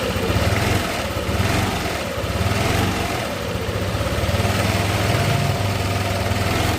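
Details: Yamaha NMAX scooter after repair of a rough-running engine (scored cylinder block from dried-out oil): smooth, steady low idle with even beat and no knocks or rattles; running normally.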